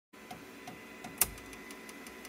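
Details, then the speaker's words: K1C 3D printer with a clogged hotend, a frequent K1C issue: light, regular ticking about three a second with one sharp click as the extruder skips while extruding. "ey, so I'm here with my K1C and I've got it clogged. This is something that actually happens pretty frequently with K1C. It's got a clicking sound that goes along with it."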